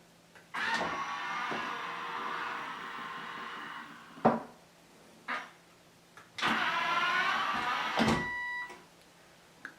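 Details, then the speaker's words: Toto Neorest washlet seat lid motor after pressing the remote button: smooth electric whir about three seconds, pause, then again evenly; normal lid motor operation. "Normally the toilet seat cover would open up by itself because of the proximity sensor. And now let's push the button here. It works."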